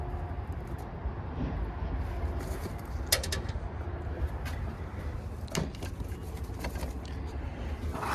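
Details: Daikin rooftop unit, two-stage gas heat, after replacing the gas valve a previous tech diagnosed as failed (no heat), W1/R high and low called, about 45°F outdoors: steady, even burner and fan rumble with outdoor clicks; the unit runs normally.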